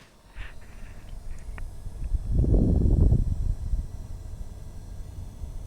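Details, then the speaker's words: NVIDIA GTX 1080 in open case running Unigine Heaven benchmark after undervolting profile applied: only low fan rumble, no high coil whine audible, whine previously bad and coming from GPU. "and mind you I you know have got an open case here I haven't put the side panels on and you can tell that well you can't hear the core World I'll just be quiet like virtually you cannot hear it"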